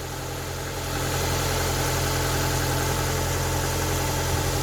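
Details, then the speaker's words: Ford Focus Mk1 Sigma petrol engine idling just after a thorough oil and filter change, no leaks: even steady idle, smooth low beat, slight belt hiss, no knocks or ticks; healthy, belts noisier than engine. "That is how a happy Ford Sigma should sound like. There's more noise from the belts than anything."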